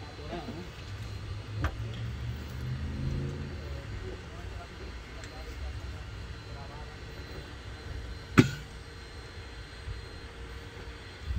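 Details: 2000 Honda CR-V 2.0 that cranked with no spark, after replacing distributor: starter catches and engine settles into a low, steady idle with no misfire or stumble; starts and runs normally, fixed.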